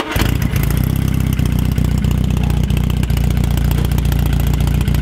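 Catches at once, then settles into a deep, lumpy, even idle with a steady throb from the open pipe; a healthy engine running well.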